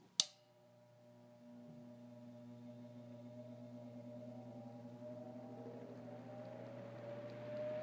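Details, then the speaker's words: Vintage Montgomery Ward (Knapp-Monarch) 10" oscillating desk fan, model MW2, 0.55 A, 115 V AC, motor cold: a click, then a steady hum whose tones slowly climb as it smoothly comes up to speed; a clean, healthy start. "a really great start and I'm gonna help it out spinning down here because I don't feel like waiting for it to spin down because it takes a while"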